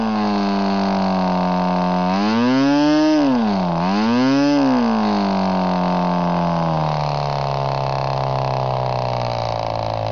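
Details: Norvel .061 RC engine converted to diesel with a custom head, swinging an 8x4 Cox grey prop: a clean, steady high buzz that dips and climbs smoothly with throttle. It starts and runs as easily as a glow engine; normal running.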